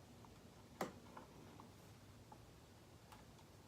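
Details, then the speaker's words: DRZ400, Kymco scooter or Bayou quad (unclear which): at key-on one sharp click then faint scattered ticks, no cranking; starter relay clicking without start button pressed, cause still unknown after earlier suspected fix failed. "Something is triggering that starter relay. Hear it clicking? That thing shouldn't click until I press this"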